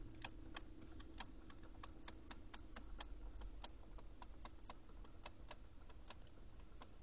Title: Lexus GX470 weird clicking noise